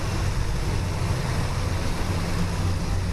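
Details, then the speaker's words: 1971 Chevelle V8 idling right after swapping to Crane Gold roller rocker arms and adjusting them; smooth, steady even lope with no top-end ticking or clatter, valvetrain far quieter than the old rockers: normal idle. "So, but yeah, roller rockers are on. It's a lot quieter. I mean, it is way quieter than it was with those other damn things."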